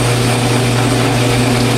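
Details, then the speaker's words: Atlas 12-inch quick-change lathe, model 3996, 36-inch bed, idle about 20 years with new final drive belts, running with a three-jaw chuck holding 1.75-inch stock: loud steady hum with rough gritty whir; gear growl in the gear train. "see what it does when it comes up to the brand new material but i suppose you can hear it kind of growling in the gears there"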